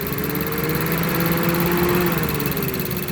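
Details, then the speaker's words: Mazda CX-7 AWD with code P0117, coolant temperature sensor circuit low, at idle: fan whoosh rises and sags as the cooling fans cycle on and off erratically; suspected thermostat-related, not confirmed. "you hear the fans just kind of coming on and off they're very indecisive"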